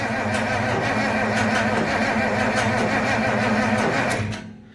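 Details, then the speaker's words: Massey Ferguson 1105 tractor, 6-cylinder Perkins diesel, sitting about 10 years, with a freshly rebuilt injection pump and new filters. The starter is engaged by shorting its terminals and gives a sluggish, labored crank at about four beats a second that never catches. The battery lacks the juice. "there we go oh we do not have enough juice"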